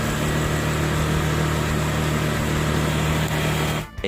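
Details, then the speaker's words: Easyride 150N GY6 scooter with D-type carb, auto enricher removed three days earlier: warm idle around 1,100–1,200 rpm, a steady, even low hum without stumble, hunting or popping before shutoff. No more smoking once warm. Normal warm idle. "so medyo mainit na ung ating makina nasa 1,100 RPM or 1,200 RPM so hindi pa rin naman umos"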